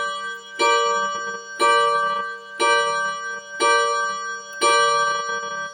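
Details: Seiko Japanese 30-day wall clock at 12 o'clock after date change: clear bell-like chimes about once a second, evenly spaced and ringing out between blows; the hour strike is working normally.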